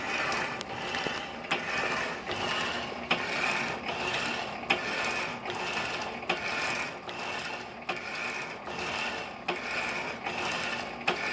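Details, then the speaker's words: 1916 Diamond Saw Works power hacksaw, driven by a 1915 1/4 hp Century Model RS motor, cutting bar: slow strokes about 38 a minute with a sharp click each stroke from a worn pin bushing at the back of the saw frame. "I have to do some work to that clicking bushing back there in the back."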